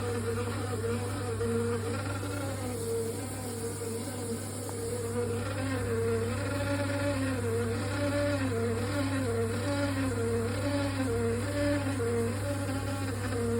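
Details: Triton Envi shower making a loud noise, replacement Tri-hub, possible component defect: a loud steady buzz with a droning hum underneath and a slowly wavering tone; loud buzzing, cause not known.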